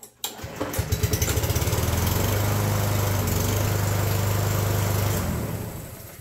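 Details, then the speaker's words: Roadside-found Yard Machines push mower after carburetor repair, once the bent choke lever was fixed: starts on the first pull, steady even low putter for several seconds, runs healthy. "I'd say that's a success when it's not Easter weekend I'll fire it up and let it run for a while make sure it doesn't start billowing smoke again"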